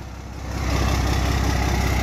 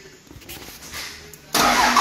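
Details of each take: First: 12-valve Cummins dually, new fuel pump, original overflow valve refitted, exhaust backed outside: low steady diesel rumble builds to an even idle with regular firing and no stumble. Normal idle after the fix. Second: 12-valve Cummins dually, freshly installed mechanical fuel pump, quarter tank: starter cranks steadily about three pulses a second and never fires; no fuel getting through, later traced to overflow valve unsuited to stock pump.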